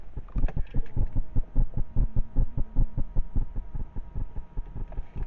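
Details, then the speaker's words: Chrysler Grand Voyager 2.8 CRD diesel, cold morning, ignition on before start: fuel primer pump in background, quick even low pulsing about 2.5 per second with faint hum; normal priming. Engine has cold-weather cutting-out problem above 2.5k rpm and at idle. "now also what you can hear in the background is the fuel pump this is the primer pump on this car I'll turn the ignition off and back on and you should hear it"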